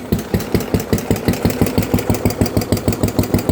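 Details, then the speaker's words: Tractor engine at idle: a hollow knock about three times a second, louder than before and loudest on the valve side, quieter on the generator side; loose tappets suspected but unconfirmed; engine knocking noise. "It is still that same hollowish kick it had before, but it is definitely gotten louder."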